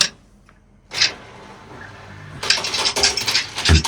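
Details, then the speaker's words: Big old washing machine reported as noisy, on a quick spin: loose metallic rattling in bursts as the drum turns, likely from something lodged in the bottom drain pump, blocking it; drain filter to be opened. "as you can hear, there's something rattling around. More than likely sound like it's the bottom of this pump, the drain pump, the pump here."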